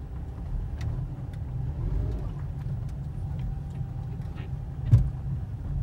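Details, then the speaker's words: 2005 Mercedes C230 driven on the road: steady road rumble with a sharp dull clunk from the front wheels over a bump; owner believes worn lower control arms cause it, not confirmed. "so this car has been making some clunking noises on the front wheels"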